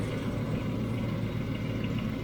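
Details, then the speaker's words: 1993 Range Rover LSE V8 at idle after oil change: even rumble with a faint steady tick; two noisy tappets on one side, other side ticking but far quieter than before; owner hopes warm-up and oil circulation cure it. "So, I've got two tapets on that side that are noisy. Then on this side, I can hear it ticking, but it was deafening before."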